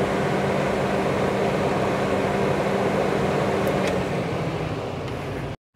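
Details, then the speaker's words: Electric cooling fan for a 2001 Chevy Blazer ZR2 clutch-fan delete, bench-tested wired straight to the battery before mounting: steady whooshing airflow with an even motor hum that then cuts off cleanly; runs smoothly, no rubbing. "let's see what we got here we go we got fan boys and girls nice looks pretty nice"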